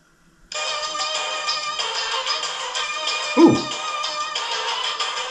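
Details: Sony CFM-2300 cassette recorder (1992) after replacing deteriorated drive belts with rubber bands and adjusting motor speed potentiometer; music plays at steady pitch with no wavering or dragging; normal playback speed.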